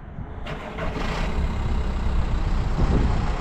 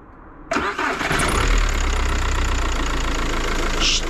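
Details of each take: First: Used car with a diesel engine, bought for viewers and checked before purchase: it catches quickly and settles into a steady, even run with no knocks or rattles; normal running. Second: Diesel car starting hard ("twardo odpala"): short reluctant crank catching abruptly into rough, uneven idle, during a test of cranking with clutch pressed versus released; hard starting.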